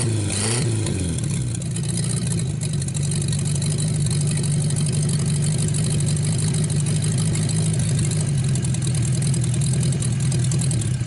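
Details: 1949 Buick straight-8, first start in years, with distributor cap and rotor from a 1950 parts car; catches after a brief start and settles into a steady, even rumble with no misses or knocks, running really good.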